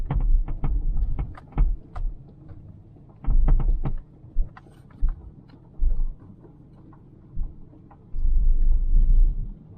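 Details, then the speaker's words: 2000 Toyota Celica 1.8 GT on a stony road: sharp irregular clunks in bursts over tyre rumble from the right front suspension, getting worse. Owner suspects worn ball joints or rubber bushings; cause unconfirmed. "it sounds like it is it's still under bright side front and it's making more and more noise"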